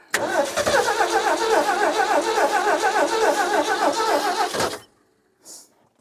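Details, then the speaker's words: 1967 Ford F-100 long out of use, no fuel for a very long time, gas poured in: steady cranking for about five seconds and it never catches; owner suspects a sticking carburettor float, and the starter solenoid later failed. "Wouldn't doubt if that float's sticking a little bit. Just dump it in. Hasn't had any gas for a really long time."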